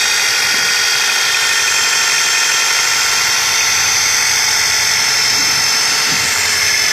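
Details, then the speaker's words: Nissan Tiida engine at start-up: harsh, steady high-pitched grinding like a bench grinder sharpening a knife, from the accessory belt and pulley area, growing louder when the accelerator is pressed; the pulleys are ruled out as the cause. "Y es parecido al ruido que hace un esmeril afilando un cuchillo, y ese ruido aumenta cuando se pisa el pedal del acelerador."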